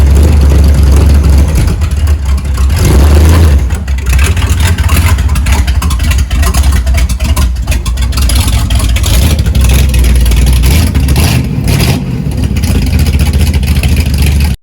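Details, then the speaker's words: 1971 Dodge Charger Super Bee, 383 Magnum V8, after valley pan change for suspected intake leak: loud revving with uneven lumpy beat; owner suspects timing is off again, still not fixed. "Oh man, I just don't know. Sounds like she's out of time again."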